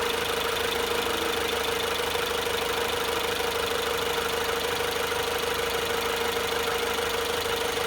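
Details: 2018 Jeep Renegade after radiator cooling fan replacement for a noisy fan: even idle with steady fan hum, no scraping or rattle from the front; fan sounds normal.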